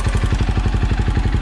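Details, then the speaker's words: 2008 KTM 530 EXC-R dual sport at idle after installing Dirt Tricks manual cam chain tensioner: steady even thump with no ticking, clicking or cam chain slap; engine healthy. "ilent hardly doing any kind of vibrating no clicking clacking the tensioner's doing what it's supposed to do"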